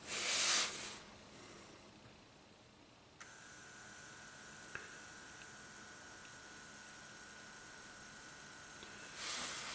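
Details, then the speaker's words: 2010 Toyota Corolla, 102,000 miles, codes P0441/P0455, engine off, scan-tool EVAP test 0.02 inch reference check: click then faint steady high whine as leak detection pump draws vacuum through reference orifice; pump running normally. "So the pump is on right now, and it's drawing vacuum through that little orifice."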